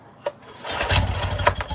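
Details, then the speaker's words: Yamaha 9.9 HP four-stroke outboard that had not run in years, with good compression and no fuel system attached, choke pushed in: a sub-second burst of sputtering fire on starting spray, then it dies from no fuel in the carb. "Woo! That sounded good. That's the best it's been so far. Okay, it's chewing through the Easy Start. There's obviously no fuel in the carb. It's just operating on fumes from this."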